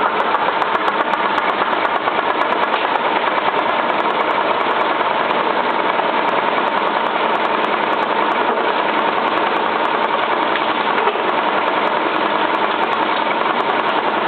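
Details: Cylinda 12002 washing machine on final spin: fast spin hum with rapid uneven knocking, as if something were stuck in the drum, but nothing found in the inspection pocket; cause unknown.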